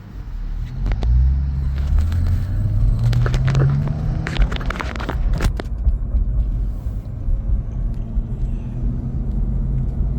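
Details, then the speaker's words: BMW E46 on its first test drive after reinstalling the transmission: it pulls smoothly through the gears with no whirring or grinding. Shifting is smooth and the clutch repair seems successful. "So far, we don't hear any noise. The shifter is shifting smooth."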